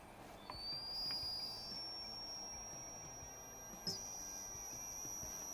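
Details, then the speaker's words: Umarex Origin air rifle with Buck Rail, filling from a tank with about 3200 psi toward a 3500 psi fill: thin high whistle rising in pitch over soft air hiss; unusual fill noise, cause unknown. "okay I don't know if you guys can hear that but this thing makes some weird noises when it's filling up"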